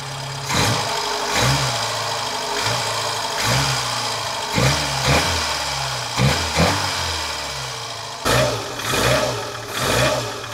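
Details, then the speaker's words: Lancia A112 Abarth 1050cc, hot engine, microphone at the test position, after fitting a less-worn rocker assembly and with ignition timing confirmed good: a light, regular tick about once a second over the idle. It sounds like top-end valve train noise, slightly more muffled now and fading more when warm. "i think the sound is still there i think it's a bit more muffled now than it was before and it seems to go more away when it's warm than before"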